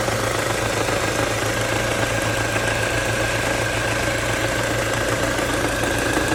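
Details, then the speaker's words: Ford Mondeo Mk4 2.3 at idle with the air conditioning on: an irregular light knock of three to four per second over the hum, loudest between cylinders one and two; cause not yet determined. "Слышен звук самое большее между первым и вторым цилиндром. Где-то вот здесь вот."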